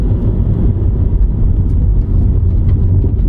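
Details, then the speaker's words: 12-year-old Mazda 3 Skyactiv, 200,000 miles, driving at road speed: steady low drone under cabin rumble from the rear; rear tires, formerly front, unevenly worn after bent rims; new tires planned to remove noise. "Now, I do hear noise from the back, but that's because had some bent rims and the tires in the back used to be in the front and they're worn on evenly. So, that's why you hear that noise."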